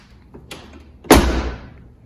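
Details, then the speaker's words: 1989 Chevy/GMC OBS truck door after replacing door pins and bushings to fix sag: a single solid thud, no rattle or scrape, clean firm latch; door shuts like new. "bunch of work ahead of me still to put all these tools up but at least now the door shuts like a new one"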